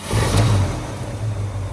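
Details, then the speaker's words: Restored 1965 Ford Mustang A-code fastback, matching-numbers 289 V8, original carburetor and distributor, manual transmission: catches at once and revs into a deep steady rumble, no knocks or misses; fires right up every time. "Fires right up every time. This is really a good running car."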